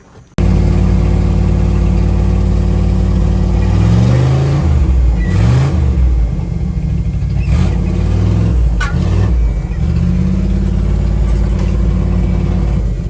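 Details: 1978 Dodge Adventurer Power Wagon, 318 V8, automatic, 4WD, first start in over a decade: deep, even idle with a brief dip and recovery as reverse and drive are selected, no clunks or stumbling; normal idle.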